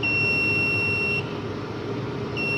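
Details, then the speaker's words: UPS kit with overload variable being set to 700 W, loaded with 200 W bulbs: steady shrill beep about a second on, a second off, as the UPS flags overload and refuses to switch on until load is reduced. "ये देखें बजर आवाज़ आ रही है। इसका मतलब ये बता रहा है कि आपका लोड ओवरलोड है, इसको कम करें।"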